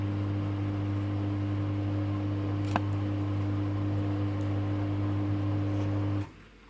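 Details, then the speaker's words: Samsung WW10N645RBW washing machine after adjusting the legs for stability: even hum of drum at steady spin speed, no shaking or rocking, until it winds down; rated 73 dB spinning; well-balanced, level normal spin. "this time there isn't any shipping as you see here there is spinning going on but I don't hear any shaking"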